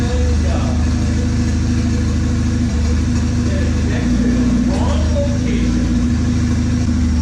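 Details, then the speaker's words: 1996 Honda Accord CD5, turbo, freshly rebuilt, with idle troubles and a rich-running tune, driven in cold weather: steady even engine note rising under throttle with faint turbo spool, runs smoothly without knocks or misses; tune still needs adjusting. "all right so if you couldn't tell from that last video I took it out and I took it for a drive it ran great I'm so stoked"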